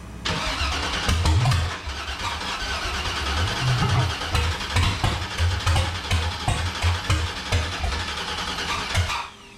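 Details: Factory Five 35 hot rod truck first start attempt, fuel pressure present (peaked about 40): starter cranks engine in uneven bursts about eight seconds, never catches; crank-no-start, cause unknown, spark plugs to be checked for fouling next.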